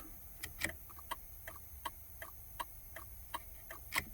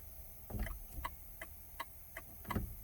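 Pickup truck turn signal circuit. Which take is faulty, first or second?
second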